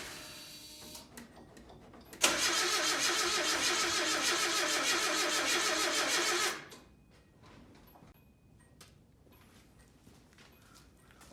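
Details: 1987 Nissan D21 hardbody, 53,000 miles, seized engine after 30 years sitting, new plugs, 30-year-old gas: loud even cranking about 3.5 beats per second for four seconds then quits; struggles to catch, later ran after tapping TBI.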